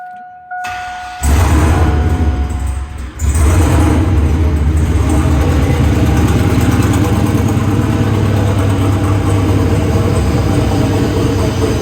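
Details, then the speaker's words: Lifted Silverado V8 turbo build with 4L80E, first start after the rebuild: chime, cranks and fires into a deep lumpy idle that hunts and never settles; rough idle, the tune isn't happy. "So obviously a lot has changed. The tune's not happy, but it does run, and I'll let you guys hear it."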